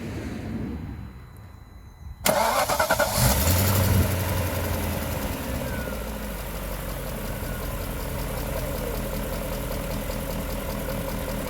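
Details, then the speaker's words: BMW M60/M62 V8 after installing new viscous fan clutch, cold: fires, flares briefly, then smooth steady cold idle with even fan whoosh. "As you can see, the engine is idling, the engine is cold, fan is spinning."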